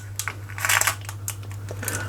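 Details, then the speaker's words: Rexel laminator, long unused, switched on with cogs turning: irregular crunching and crinkling over steady motor hum as a jammed pouch is chewed in the rollers. "it's making some crunchy noises. [Music] I hear the paper being chewed."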